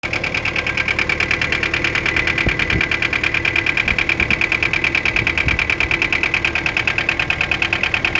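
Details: Mitsubishi 4M40 diesel at idle: sharp metallic knock about three per second, steady and persistent over the idle; detonation and engine knock.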